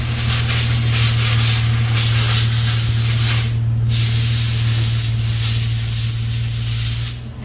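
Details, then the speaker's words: 2008 Toyota Tacoma idling right after a new Walker Quiet Flow stainless muffler was installed: low, steady, even hum with a soft hiss, no knocks or rasp. Barely audible; quiet, healthy exhaust. "Yeah, so the car's running and you can barely hear it. That is quiet."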